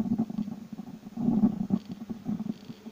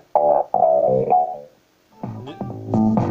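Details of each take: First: Labtec speaker with volume/power control: irregular raspy crackling bursts when the cable is moved; resoldering the dual potentiometer did not help and board joints were fine; broken conductor where the lead enters the speaker, cured by cutting that section off. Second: Labtec speaker connected to a PC after repair, where the volume potentiometer and a section of the speaker cable were replaced to cure crackling: music plays full and steady with no crackle or cutting out.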